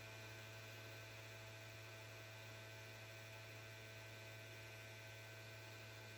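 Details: PS5 console: steady low electrical hum with no fan spin-up or other activity; the console won't turn on, cause unknown.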